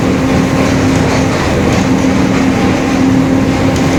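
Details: 2021 Marcopolo Torino S bus on Mercedes-Benz OF-1721 Bluetec 5 chassis, extended, urban intercity service: steady mid-pitched drone under road and engine noise while driving, a growling differential.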